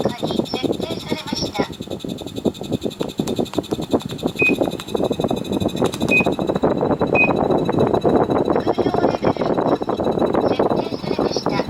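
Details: Daikin air conditioner indoor unit in heating mode, fast dry ticking with short high chirps and squeals over fan hiss, like crickets; abnormal chirping and ticking noise.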